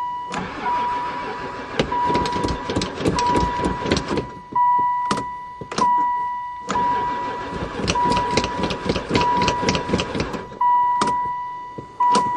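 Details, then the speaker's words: 2002 van that sat about four years: long bursts of steady starter cranking that never fire. Owner wonders if it has gas; no spark suspected later. Crank, no start. "oh she even cranks I don't know if this thing's got gas"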